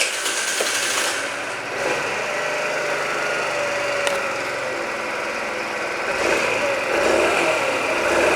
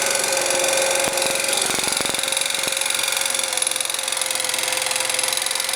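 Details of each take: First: Scooter after repair with new crankshaft and new piston kit, replacing a defective piston whose pin was skewed from the factory and caused a ringing knock: now runs evenly, no knock, only a faint rustle from the gears. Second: Scooter engine with new crankshaft, bored cylinder, new piston at 0.04 mm clearance, new camshaft, chain, tensioners and variator: sharp ringing metallic knock three or four times a second following engine speed.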